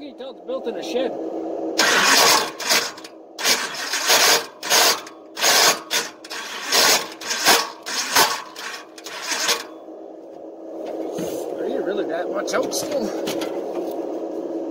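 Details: Engine being cranked after long storage on race fuel: about ten harsh, raspy grinding bursts and it never starts; flex plate teeth stripped, with the remains lying in the inspection pan. Starter grinding on damaged flex plate.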